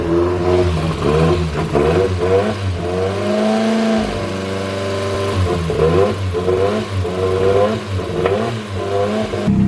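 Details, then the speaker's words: Forged turbo Toyota Starlet 4EFE (4EFTE build from second-hand parts, Camry coils) just after first start, blipped up and down cleanly with even firing, no knocks; a bit of smoke but compression sounds good. Normal running. "A bit of smoke, but I mean, it's a first startup. And it actually sounds like it's got good compression."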